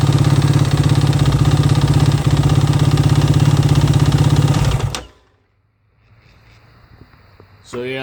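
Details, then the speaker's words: Warm 2009 Yamaha YFZ450R single at steady idle with an even, pronounced knock riding the exhaust beat, worse when warm; still makes power, no smoke; owner suspects piston slap, unconfirmed. "that's it uh still makes excellent power doesn't smoke or anything like that but it just doesn't sound like you should"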